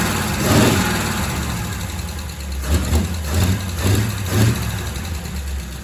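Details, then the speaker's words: Engine running after repairs and refitting of the exhaust. An even, low idle with a few gentle rises in revs and no stumble or knock; very smooth, apart from a noisy lifter the owner expects to clear up. "So smooth. You can't beat You can't beat the smoothness of one of these engines. They're ridiculously smooth."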